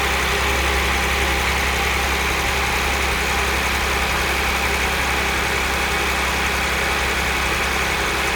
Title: Audi S4 B8 V6 (2010) - Cold start timing chain rattle - 110.000km